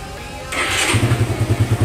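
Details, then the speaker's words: Suzuki Satria FU 150, rarely used, that would not start and stalled due to flooding and a very weak battery, started after the battery was charged: a brief starter whirr, then it fires on the first press into an even idle. "Oke, langsung kita starter. Satu kali hidup guys ya, mudah sekali ya."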